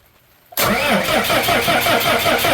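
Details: Crank-no-start on a 6BT Cummins 5.9 truck that had a starting issue, then died while running: strong, steady cranking with even compression pulses for about 3 seconds, never catching. Injector line cracked open showed no fuel and weak flow to the injection pump, from a clogged fuel filter.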